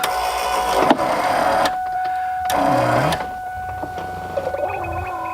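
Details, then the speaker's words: Ford Mustang convertible top hydraulic pump cycling after new rams installed: steady electric pump whine that wavers and stutters as top moves, pushing air bubbles through the lines. "can you hear that all the bubbles being pushed in there"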